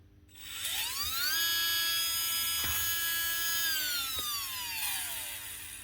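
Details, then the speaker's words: Makita DBO480 cordless sander (2024), after brushes bent in the drop were straightened to sit square and contact the commutator again: clean, steady high whine that holds speed and winds down smoothly, running much better. "Bend them down to make proper contact again. And it runs a lot better."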